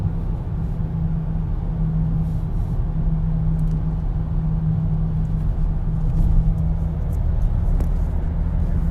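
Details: 2014 BMW X3 steady low hum at 50-60 mph cruising, even pitch under road noise; found to be a bad wheel bearing/hub.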